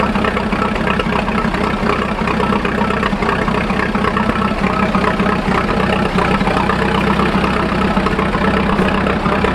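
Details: 1941 Fordson Standard N tracked Roadless tractor ticking over on petrol after a choke start, warming up before switching to TVO: steady, lumpy idle with no knock or miss standing out; normal idle.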